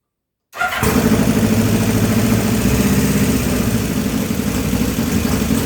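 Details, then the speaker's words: 1980 Kawasaki KZ1000 pro street, engine freshly rebuilt elsewhere, short cold start on choke at high idle: busy mechanical clatter over the exhaust. Valve clearance suspected extremely over-tight with cams flopping around, possibly wrong-length new valves. "cams are just flopping around in there I imagine it was just extremely the valve clearance was extremely overtight"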